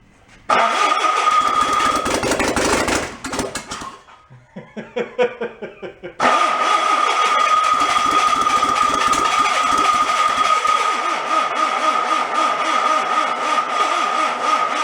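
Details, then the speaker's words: Engine from a 1958 VW Beetle that sat 30+ years in a swamp, run on a car battery with added throttle: it catches, then runs ragged and stumbling on maybe two and a half cylinders. Low compression is suspected, hoped to improve as cylinders seal. Rough running misfire. "she's real close i don't know how many cylinders it's running on sounds like maybe two and a half or so"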